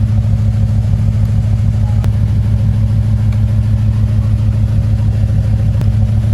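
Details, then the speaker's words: Honda S2000 with swapped engine, idling with flashing check engine light: steady low idle, even rumble with a slight regular pulse, no obvious knock; codes about to be read. "all right so we got a new issue here with that flashing check engine light so there's a chance that if i pull the codes again that's all we're going to find"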